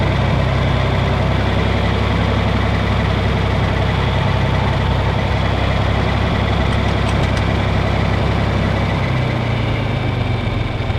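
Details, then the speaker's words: Steady, even diesel idle with a low regular beat, no knocking or misfire, on a John Deere 4020 tractor after fuel-problem troubleshooting; belt sounds slightly slipping, no leaks, clean fuel in filter; engine healthy. "Sounds like the belt's slipping a little bit, but that's no big deal. Nothing's leaking."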